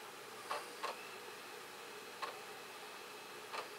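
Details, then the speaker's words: Dell PC booting from a DVD during serial console setup: sharp isolated clicks, four in about four seconds at uneven spacing, over faint hiss. The DVD drive sounds faulty; the cause is not yet clear. "want to make sure that the DVD drive works because it doesn't sound real good at the moment if you can hear it. Sounds really ugly actually."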